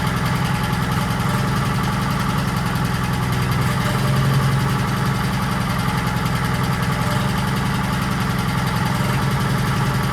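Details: 1940s Allis Chalmers D5/HD5 crawler, two-stroke Detroit 271 diesel after many years stored, normal idle: low steady even thrum, no knock or miss; motor sounds good but smokes, owner suspects previously troublesome injector.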